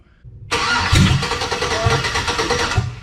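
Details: Chevy V8 swapped into a Jeep Comanche cranks rhythmically but only barely fires and never starts, despite confirmed spark and fuel pressure; cause unknown.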